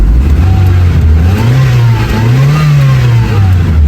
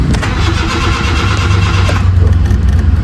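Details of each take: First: Honda City Type Hyper 16-valve petrol after final repair, check engine cleared, warming up at night: raised, slightly wandering idle with smooth low hum; normal cold fast idle that should drop as temperature rises. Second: Honda City, during repair with the newly bought ICV not fitted: starter churns in uneven heavy pulses without a clean catch, temperature-related hard start, idle still high afterward.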